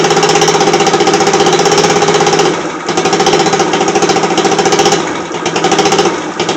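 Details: Scooter that is increasingly hard to start and won't stay running idles with an uneven, lumpy beat that sags and dips, then stalls out again; engine won't hold idle.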